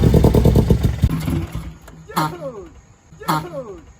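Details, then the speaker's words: Mazda NA Miata MX-5, first start attempt after new camshafts were fitted: it catches with a ragged, uneven beat, stumbles and fades between weak bursts, and won't hold idle. Misfire; ignition timing is suspected to need setting. "oh we probably gotta do ignition timing give it one more try I don't want to damage it it's just like misfiring but"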